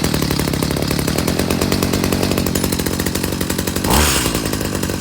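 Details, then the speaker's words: Stihl HS45 hedge trimmer after recoil starter repair, choked and primed: steady, buzzy two-stroke running at a constant high speed with a brief blip near the end; runs clean, normal running. "apparently this thing starts and runs so let's just fire it up quick and then we'll move on to the chainsaw"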